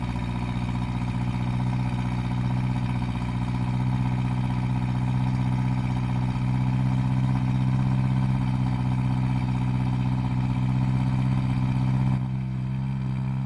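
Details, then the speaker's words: 1971 Vauxhall Firenza SL 2000, LHD Canadian import, owners believe displacement is now above 2000cc, warming up after start: deep steady low thick rumbly idle, no misses or knocks; idling smoothly. "we're pretty sure this is no longer a 2000 cc car and so we'll go up in displacement it'll also run more like this just low and thick and rumbly"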